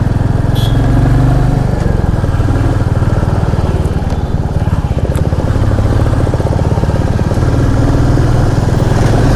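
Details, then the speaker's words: Royal Enfield Classic 350 on the road; earlier tik-tik/kit-kit engine noise, blamed on a poor second service, is now gone: even single-cylinder thump over road noise, quiet valve train, running normally. "तो अभी तो काफ़ी smooth चल रही bike. कोई टिक टिक का कोई sound नहीं आ रहा है। एक टिक टिक और किट किट का एक साउंड आता था बाइक में, वो अभी नहीं आ रहा।"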